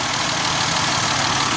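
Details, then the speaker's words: Dodge Nitro after misfire repair: timing belt and tensioner; no fan installed, not yet revved: smooth, even idle hum with no skips or stumbles; running cleanly on all cylinders. "Yeah, new tensioner on the new timing belt, new tensioner, and yeah, I mean it's sounds pretty good."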